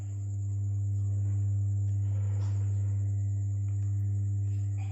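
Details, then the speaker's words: EALSEM build-up power amplifier that still works: a loud steady low hum with a faint buzzy edge and hiss at high volume, from an unsuitable, aged input cable picking up interference. "E Di sini masih masih hidup tapi e suaranya agak mendengung ya"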